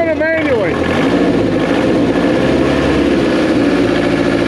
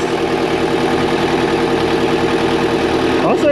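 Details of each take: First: 2002 JLG 86T lift diesel, after actuator replacement: starts and races loud at a steady high speed instead of dropping to idle; speed sensor suspected, unconfirmed. Engine over-revving. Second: 2002 JLG 86T lift diesel after fresh engine rebuild: steady, even idle hum with no misses or knocks, running smooth; slight fuel leak on top noted. Normal idle.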